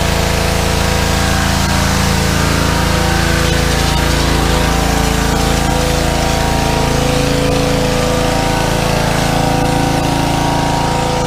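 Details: Small petrol engine on a fairly new pressure washer, after carburetor cleaning for suspected fuel starvation from dried ethanol gas (clogged bowl screw jet) following over a year sitting, steady constant speed with pump working, no misses, surges or knocks; normal running under load.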